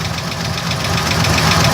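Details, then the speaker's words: 1980 Chevy idling: steady fast ticking knock over the engine, unchanging in rate; owner suspects the torque converter, oil change did not help; cause unconfirmed. "there's a clicking noise coming from what I think is the torque converter"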